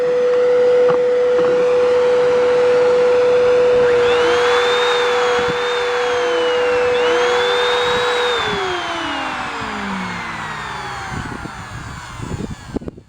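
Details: Curb-found Kenmore Elegance canister vacuum whose brush bar would not spin, power head run with only the wire connected: a clean, steady whine for eight seconds, then a smooth wind-down with no scraping; the head now spins nicely.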